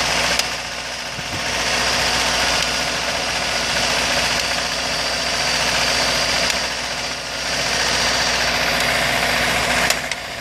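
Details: 2003 Acura RSX base, K20A3, warm engine: idles with a light, somewhat uneven tapping over a bright hissy running sound, louder around 1800 rpm. The loud tap occurs only sometimes at idle, while the car runs and drives fine.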